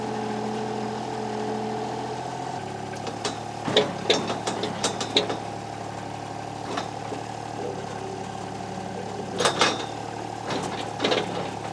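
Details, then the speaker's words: Estate-purchase diesel machine (likely the Kubota KH-10D excavator) after a new starter was fitted: it fires right up and the fuel pump is heard turning on, then an even, steady three-cylinder idle with a low rumble; idling normally. "with that new starter in there thing fires right up so you can hear the fuel pump turn on there"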